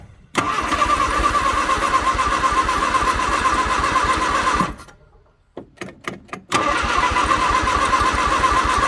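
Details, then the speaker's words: 1962 Vauxhall Victor first start after sitting 25 years, carburetor rebuilt and electrical connections redone: engine catches and runs unevenly with a lumpy pulse, sputters and nearly dies, then picks up rough as it runs out of gas. "that's it out of gas but there we go sitting for 25 yeah 25 years"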